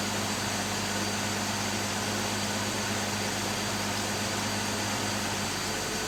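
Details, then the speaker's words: Rover P4 after new gaskets and tappet adjustment, warming up: steady even hum with revs sitting noticeably above a normal idle; fast idle still set too high, turned down. "Fast idle was still a bit too high. So, just turn that down."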